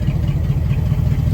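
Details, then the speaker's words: 1974 Dodge W100 Power Wagon V8, revived after 41 years, running cool and charging properly after a new voltage regulator. Steady, even low rumble, regular firing pulses, no knocks or misses: normal idle. "now running cool as a cucumber actually I mean this thing just you don't get much better than that sounds like an old mud truck"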